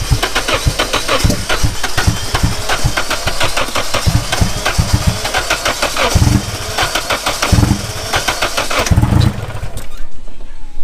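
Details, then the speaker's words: Rebuilt Nissan KA24DET engine, first official start-up after fixing the spark, fuel primed beforehand, owner worried it might flood: rapid even cranking ticks, then it catches and settles into a rough but running idle. "let's go ahead and see this official first startup after finding out the spark there you go i already primed up the fuel pusher"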